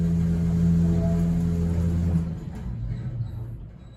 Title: Vintage elevator that makes a weird noise